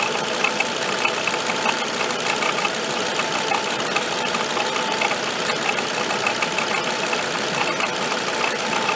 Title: Avec bruit moteur